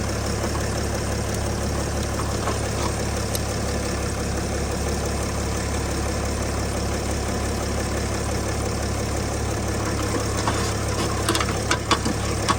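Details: Engine settles into a steady, even idle with no knocks or stumbles after being started with solid-state jump starter packs; the starter motor is faulty and still needs fixing. Normal idle.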